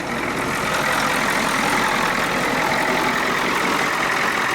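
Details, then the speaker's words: Ford F-250 with swapped 6.9 IDI diesel, after tach housing swap and injection pump removal/reinstall, charging about 13.5 volts; steady even diesel clatter at idle with no misses, knocks or surging, runs well. "But I will say, she does get up and go. Sounds like she's got some power though."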